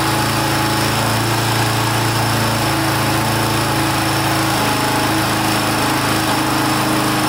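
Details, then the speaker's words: 1982 Honda XL500R single-cylinder running for the first time in years after valve adjustment, carburetor cleaning and reconnecting the pickup coil wire; steady, even thumping idle with no misses or knocks, healthy normal idle. "that sounds pretty good wow can't believe it started I was giving up hope there for a little bit"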